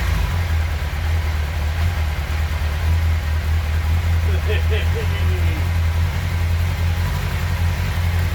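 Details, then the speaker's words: 1996 Suzuki GSXR 750 SRAD (carbureted), first start after a no-start fix with the fuel pump reconnected, on choke with no throttle: a steady fast idle well above normal tick-over. High idle because the idle adjuster was set high; it was then turned down. "As we can see, she started no bullet. The reason she was revving high was that I had found the adjuster for the idle. So I've just turned that down."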